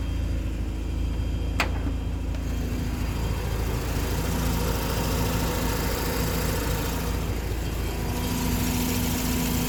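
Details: Mazda RX-8 rotary engine at idle with a light, fast ticking over the low steady hum; ticking increases somewhat with revs; owner says not SSV or spark plugs, exhaust manifold to come off for inspection, unconfirmed.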